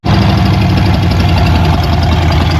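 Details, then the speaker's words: Old Ford truck running on its own at idle after fuel line replaced with rubber line to clear blocked gas line; a fuel leak appears; firm steady low idle, even beat, no misses or knocks; normal running. "Oh, she's talking to us."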